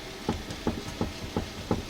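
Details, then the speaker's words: 2006 Buick Lucerne, right outer tie rod, car on jack stands, tire grabbed and shaken side to side: sharp clunks about three a second with visible play. Worn outer tie rod. "You hear that? It's actually moving. And I can look between there, and I don't know if you're going to be able to look between there. There's our tie rod right there."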